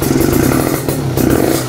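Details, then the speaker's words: Kawasaki Ninja two-stroke started after two months unused, under 20 kicks, Nibi Racing carburetor: deep raspy burble with quick throttle blips, even with no misfire; revved to keep the spark plug from getting wet; healthy. "Wow, suaranya ngorok-ngorok ini guys. Kalau Ninja gue berani untuk ngeblayer-blayer limit karena suaranya nggak begitu berisik."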